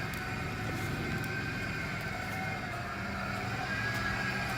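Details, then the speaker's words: 1989 Ford F350 idling after a long sit and a battery charge; faint steady high-pitched whine over an even idle rumble, from the power steering pump; owner suspects idle air control valve for an idle misfire. "The power steering pump is making a whine."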